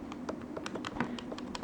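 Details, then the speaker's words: New Sony PS3 DualShock 3 controller: quick, crisp button clicks about seven a second, clean with none of the dry squeak of the heavily used controller. "got a nice click none of that dry squeak like we've uh noticed here in this blue one"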